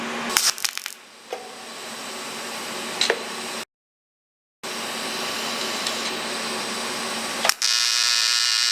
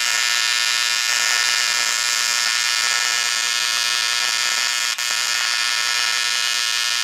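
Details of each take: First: ProTIG 200 TIG welder after setup mistake fixed, gas regulator at 35–40 while flowing: steady even buzz with crisp hiss, no popping or sputtering; stable normal arc, possibly too little current before cranking to 200 amps. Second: ProTIG 200 TIG welder; steady high-pitched buzzing arc with thin hiss and a brief dropout, current too low for the weld, then raised to 200 amps.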